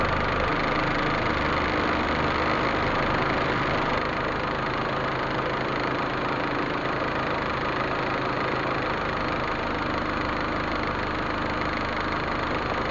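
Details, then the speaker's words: Proton Waja MMC, returned idle (stepper motor) valve tested on car after base timing set: step drops to about 20, steady even idle around 800 rpm with no misses, knocks or hunting; normal idle. "Okey base timing kita sudah set. Nampak tak dia punya step drop sampai 20 macam tu. Alright, RPM pun dalam 800 macam tuulah."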